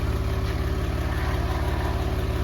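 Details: Porsche 911 (996) after a 4-year restoration and engine reinstall, right after reconnecting the unplugged throttle body connector: low, even idle with a steady pulse, no knocks or misses; engine now starts and idles normally.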